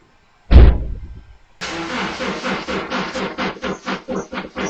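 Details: 2009 Subaru Outback at -5°F, battery jumped, hairdryer warming the temperature sensor: starter turns the engine over in steady, slowing pulses after a thump but it never fires; cold-weather crank-no-start.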